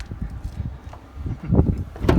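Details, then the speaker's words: Renault Kangoo (2/3, K9K 1.5 dCi diesel) sliding door after applying anti-squeak: rocking the door gives only soft dull thumps, no squeak or creak; quiet sliding door. "Так що, ребята, антискрип за 40 гривень робить чудеса з вашими здвижними дверками."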